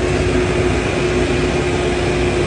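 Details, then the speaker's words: JLG 660 engine boom lift that had no high speed and no idle change, after replacing the faulty RPM toggle switch; steady, even engine drone with constant mid-pitch hum, no knocks or misses; normal running. "so now that I know for a fact my toggle switch was the issue we went ahead and changed it there goes the new one"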